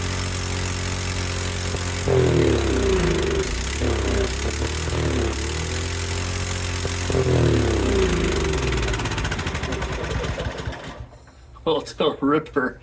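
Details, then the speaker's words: Cub Cadet 528 snowblower on electric start with full choke, first start after carburetor drain work: catches after a few seconds, then races with revs swinging before dying; owner suspects over-revving, will check linkages. "Sounds like maybe it's over revving. Um, so curious about that."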